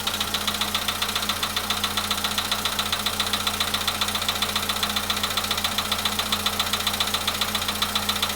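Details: VW Polo Sedan at 93,000 km, cold start: sharp, very regular metallic knocking at about 220 per minute over idle; engine knock, cause not yet found.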